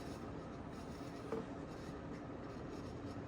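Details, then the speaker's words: 1992 Sears Roebuck 42-inch Hugger ceiling fan, model 689 11438, on high speed drawing 0.41 amps; steady even whirr with dry rasping rub, no knock; whirling noise from suspected worn fan bearings. "It's making a whirling noise, which I can live with."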